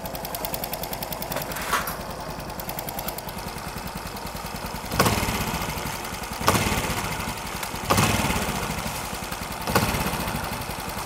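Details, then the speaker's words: Engine fully rebuilt except the ignition system runs a crisp, steady idle with light even valve ticking and throttle blips, no knocks or rattles inside: healthy, normal running. "Dũng cho nghe cho nghe tiếng máy coi nghe máy thái nổ Máy nổ nghe giòn quá giòn"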